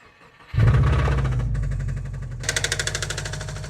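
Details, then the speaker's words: Subaru WRX sedan started after a dead battery was on a charger for days: engine catches and runs rough with an irregular deep pounding under idle that never smooths out; owner calls the engine pretty blown, though the least blown of his WRXs; engine knock. "That's pretty blown. So like I said, this one is the least blown up one."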